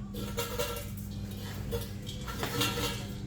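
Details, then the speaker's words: Old muffler removed from a Nissan 350Z, shaken by hand: irregular metallic clinks and rattles from broken baffle pieces loose inside; being replaced with a new exhaust with a silencer. "let's see yeah you can hear all that floating around inside of there I am just tired of hearing that"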